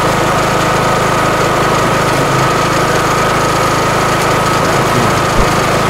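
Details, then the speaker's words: Kohler Courage mower engine after valve adjustment at 200 hours, when clearances had grown to intake 0.008 in and exhaust 0.011 in (spec 0.005/0.007): steady, even beat with no ticking, knocking or clatter. "can you listen careful how smooth it runs in slow motion you hear that if there would be something wrong with your VES or stuff you would hear it it would make weird noise but this is like a steam engine here it's like smooth and nice"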